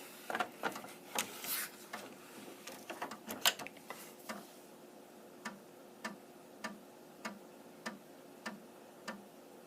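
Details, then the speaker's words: An Amiga 1000's floppy drive, after power-on checks, reads the Kickstart disk with a crisp, even click about every 0.6 seconds as it steps through tracks. This shows the drive is awake and reading normally. Normal floppy drive loading. "And a good sign is if it makes that clicking noise. So if it's making that noise, it means it's woken up, it's gone through its internal checks and diagnostics, and it is looking for a disk."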